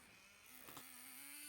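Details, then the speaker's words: Traxxas T-Maxx nitro glow-engine RC truck, restored after sitting 15 years, running on fresh nitro fuel: the small engine's high buzzing drone steps up in pitch and holds steady and even, running cleanly. "Well, it does. Well, that's not bad. It goes well as well."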